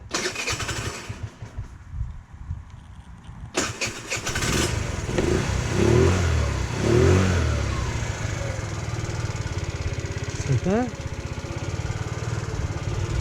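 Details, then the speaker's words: Chinese GY6 scooter after fitting 8-gram sliders, on a cold start. It cranks briefly, then settles into a fast, even buzzing idle on its auto choke enrichener. The rear tire spins during warm-up, which is normal for these scooters. Healthy start. "now this Chinese gyc scooter has an auto choke enrichenor which means the back tire starts turning like that and that is perfectly normal for unfortunately Chinese scooters"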